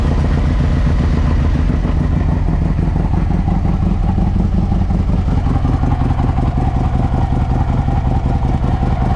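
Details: 2007 Harley-Davidson Ultra Classic V-twin after a Screamin' Eagle compensator upgrade for a warm-start problem: low, lumpy, steady idle with light mechanical clatter, normal running.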